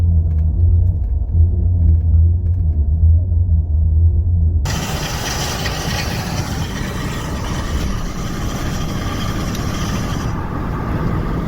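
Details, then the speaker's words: 2020 Ford F150 front-end noise from failing IWE hubs: low rumble then rough, gritty grinding while decelerating on brakes; owner suspects the hub vacuum solenoid lets hubs slip in and out of engagement; fix is replacing the hub actuators. "Alright guys, so the first place you're going to want to look if you're having a front end noise, mine specifically, that noise that you heard a second ago, that was when decelerating while on brakes."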